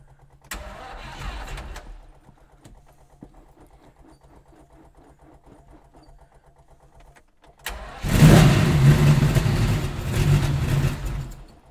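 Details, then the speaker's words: Stone-cold Lamborghini Miura started by switching on the ignition and giving six stabs of the throttle (it effectively has no choke): two short cranking bursts, then it catches with a loud roar into a fast, steady warm-up idle. "okay it took two or three bites of the cherry which can happen with these engines because they say they effectively have no choke on them but um engine bursts into life"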